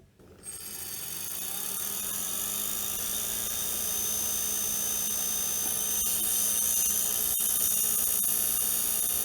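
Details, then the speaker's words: Failed IBM hard drive spun up on a PS2 power supply: whirs with a high whine and faint rapid ticking, head stuck at the center, motor energized but retrying without moving further. "and then it gives up and it stops in there and if I power it is off and when I power on again the head will move again towards the center uh a little bit until eventually reaches the uh the center and then he stops there keeps trying"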